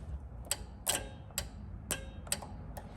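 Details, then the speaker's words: RX7 project car with a parasitic battery drain: sharp dry relay clicks, about six in three seconds, unevenly spaced; owner suspects a motor is getting constant power and getting hot, with only the passenger side working. "you can kind of hear the relay kicking on for this and this is stuck up right now so only one side works"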